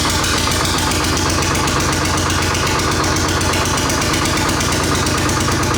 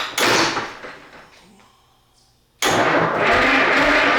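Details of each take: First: Rare 1938-40 GM Detroit Diesel 1-71 single-cylinder two-stroke, running after fixing a pinched fuel line: fast, even beat holding steady with no misses or stumbles; engine firing cleanly. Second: Rare GM Detroit 1-71 two-stroke diesel, old engine being revived after re-bending the fuel line and trying to pull vacuum through the return line: loud rough cranking burst fades, then heavy clatter resumes; turning over but not yet firing.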